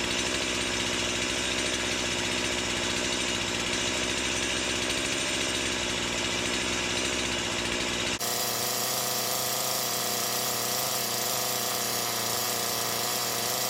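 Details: Stihl MS170 with Amazon replacement motor and a new Holzfforma carburetor, warmed up and cutting black walnut: screams at high revs, pitch drops under the cut, flat and doggy versus an OEM MS170; carb suspected; sluggish running.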